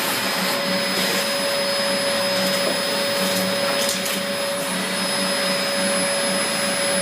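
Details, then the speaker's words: 17-year-old Dyson DC04 upright vacuum during a big-mess pickup test: steady motor drone with a thin airy hiss as air is drawn in through a valve, apparently from a clogged cyclone shroud. "so I can cite that there is a small amount of air being drawn in through this vowel via because I can hear it hissing"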